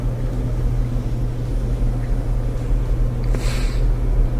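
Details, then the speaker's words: Electrolux dryer after cleaning lint (and possibly dog-bedding fibres) packed in the flawed blower wheel that caused rumbling, about six years into use: smooth, steady low hum with no rumble or thumping as the drum turns; normal run after repair. "sounds good so that did the trick hope that helps you with your Electrolux dryer"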